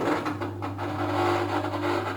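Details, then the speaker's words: Washing machine whose spin dryer won't spin; drain pump tested: steady, even low hum with no rattle or grinding; drain pump working normally. "ठीक है drain pump ठीक काम कर रहा है"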